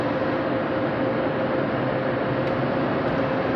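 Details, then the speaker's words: 2003–06 Chevy Trailblazer/GMC Envoy with the engine running: a steady, loud, airplane-like roar with a faint constant hum comes from the failing electric radiator fan clutch, which is said not to cause overheating. "It's like an airplane. That's this fan, this radiator fan. These fans in the Trailblazer and the Envoy, when they go bad, it's just real high, real high."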